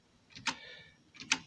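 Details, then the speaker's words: Toshiba PC-G10 cassette deck: load/unload mechanism works but main capstan flywheel not spinning though same motor drives both; two sharp clicks about 0.85 s apart; worn slipping capstan belt, belts replaced. "there that mechanism is working which is the loading unload but the main flywheel is not spinning so that's that but it's all coming off the same motor so that somehow seized"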